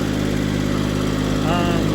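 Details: Skyjack scissor lift with a three-cylinder Kubota engine, after a new battery, a new fuel pump and a misfire fix, idling to warm up. A smooth, steady low hum with no skips or misfire pops; a healthy idle.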